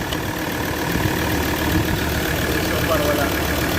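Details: Ford Ranger diesel idling after diesel flush and oil change with XADO engine treatment: steady clatter with an even rhythm, no puffing or uneven beat; no blow-by, runs smooth and healthy.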